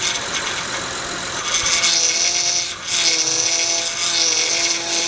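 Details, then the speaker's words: Acura MDX with running engine: steady power steering whine that dips and returns as the wheel is turned; O-rings at the high-pressure hose and hose-to-reservoir connection to be replaced. "acro mdx um started to develop this whining noise squealing noise whenever you turn the steering wheel it would make a whining town"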